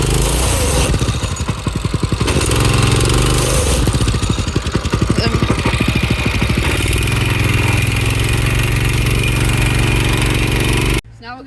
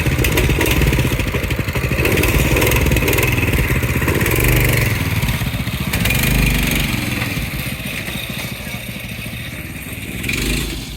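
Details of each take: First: Go-kart with a newly installed carburetor: after running smooth, the clutch started grinding going up a small hill; the small engine runs loud and rough with a harsh scraping grind over its rapid beat, cause suspected, not confirmed. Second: Go-kart with a newly installed carburetor, checked over and fine-tuned: small single-cylinder engine runs smoothly and steadily with a few light revs, no knocks or misfires.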